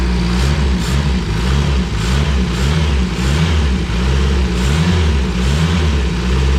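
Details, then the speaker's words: Renault 5 GT Turbo engine in a project van, first start after correcting ignition timing (had been set at 80 instead of about 50): revs unevenly with lumpy irregular beat, stumbling between blips; running rough, needs tuning, several leaks noticed. "all right so it definitely needs some work but that is the most promising sound I've heard all day"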